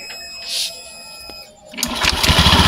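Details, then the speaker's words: Scoopy automatic scooter test-started after a crankshaft seal replacement: about a second of quiet, then it fires and settles into a quick, even putter with no knocks. It runs very smoothly and is healthy. "Oke ya, jadi motornya ini udah hidup, mantap. Dan ini suaranya sangat halus."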